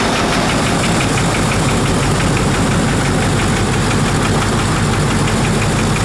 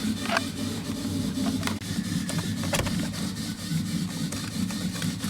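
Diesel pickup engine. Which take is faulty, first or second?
second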